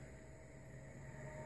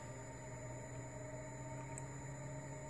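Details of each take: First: PC graphics card with mouse pointer trails enabled in Windows, moving the mouse on desktop: steady low fan and power hum, the high-pitched coil whine previously synced to cursor movement now gone. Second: New graphics card giving a faint high-pitched coil whine over a low hum, synced to desktop mouse movement; the whine stops when Windows mouse pointer trails are enabled.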